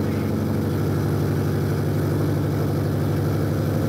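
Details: Toyota Supra manual/turbo conversion, first start with no exhaust fitted: loud, raw, open-pipe idle with steady even beat, some smoke, timing/distributor still loose but sounds good; loud running with no exhaust fitted.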